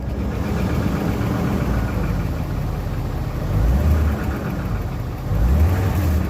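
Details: 1997 BMW 540i E39: steady low engine drone with an irregular rattle on top, slightly louder on small revs; something loose, cause not pinned down.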